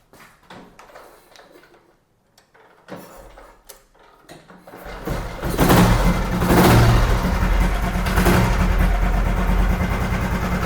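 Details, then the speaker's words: 1970 Royal Enfield Bullet single with an unopened, sealed engine, started by kick: after a few kicks it settles into a steady thump with a light regular clatter over it; the engine is tight and the noise comes only from the clutch. "Engine வந்து ரொம்ப seal பக்காவாக தான் இருக்குது. கிளச்சில் இருந்து மட்டும் sound வருது."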